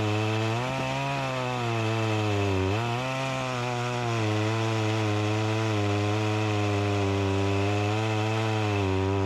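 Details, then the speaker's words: Echo CS-352 chainsaw that starts then dies, cutting wood; pitch sags and recovers repeatedly under the cut, struggling for power; running lean, not getting the gas it needs, fuel starvation; chain oiler confirmed working. "that's a positive and a negative side this isn't getting the gas that it needs"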